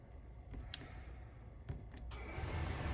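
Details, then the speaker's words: 2021 Wildwood 353FLFB travel trailer furnace (heat delivered only through the floor) starting via the thermostat: a few clicks, then a soft, even blower rush that comes up and holds steady; normal furnace start-up. "There's the furnace turning on, and then when you turn the system, to adjust your temperature, just turn that with the arrows up or down when you're in the mode that you want the fan to turn on."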